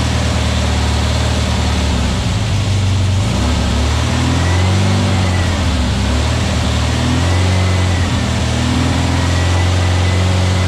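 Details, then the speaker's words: New VW Beetle 1679cc single-port flat-four, Scat C25 cam, dual Empi ICT carbs, first fire-up during 20-minute cam break-in: steady fast idle with gentle throttle swells, smooth, no misses; timing spot on, no oil drips, carbs need tuning; normal running. "20 minute is done. Didn't drip a drop."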